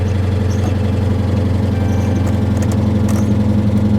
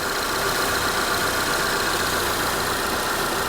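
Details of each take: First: 2022 Honda Civic Sport at salvage auction, started with a very dead battery, possibly ingested water: loud, lumpy idle with heavy low drone and rough pulse near 220 a minute, not quieting down; abnormal engine noise. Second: 2022 Honda Civic Sport, 19,000 miles, idling with hood open; smooth steady hum with even whir, no knocks, ticks or misses, sounds healthy.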